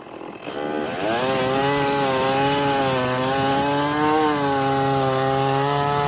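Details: Stihl 024 chainsaw after carb tuning and a makeshift aftermarket air filter, cutting firewood under load: strong steady high buzz dips slightly as it bites and recovers cleanly, no missing; sounds good up high, runs healthy.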